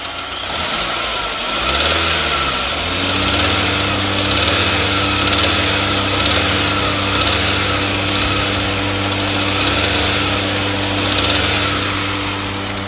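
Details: SAAB 9000 2.3T petrol engine starting and settling to idle with a dull knock about once a second; runs fine cold, knocks only when warm and harder with revs; valvetrain or rod knock suspected, not confirmed.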